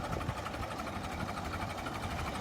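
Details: Late-1955 Farmall Super MTA diesel tractor, about 200–300 hours, idling at about 350–400 rpm: slow, even, soft percolating clatter with no misses or knocks; normal healthy idle.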